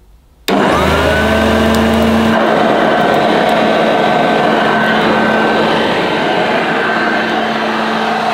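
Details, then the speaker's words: 1982 UK-made Hoover Junior Dirtsearcher U1108 upright vacuum on its highest setting: motor snaps on to a clean, steady whine with no rubbing or grinding; motor healthy, though the agitator needs a new belt. "wow nothing at all wrong with the motor on this it sounds very nice even on its highest setting"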